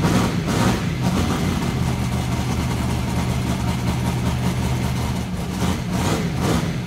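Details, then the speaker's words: XC Falcon ute's methanol-carburetted twin-turbo 351 Cleveland V8 with newly fitted Haltech VMS, running in a closed shed; loud, deep, steady burble with firm even firing and brief rev rises, no knocks or misfires; normal start and revving. "spicy sounds good eh sounds like a methanol carburetted twin turbo v8 so yeah good"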